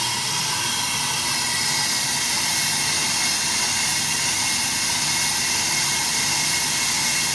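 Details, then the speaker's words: AMMCO brake lathe cutting a large, tough rotor that is unstable through one section; even hissing cut with no rising squeal or shudder, the proper tooling absorbs the vibration before chatter develops into a secondary harmonic. "if you listen to the cut you can hear it would really like to start shattering but the tooling is just eating up the chatter the vibration before it becomes a secondary harmonic"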